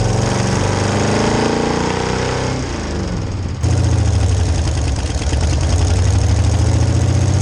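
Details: 1966 Chevy C10 rat rod V8: pulls under load then sags and chugs before recovering; weak fuel pump can't keep carb bowls full despite pressure at idle and cruise.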